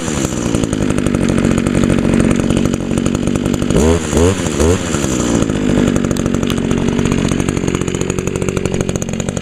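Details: 2002 Echo SRM 2400SB slip-boom trimmer, 13 years old; cylinder was fogged, muffler clean; steady high-pitched buzz with one brief rev blip, even and clean throughout. Still running good, normal running.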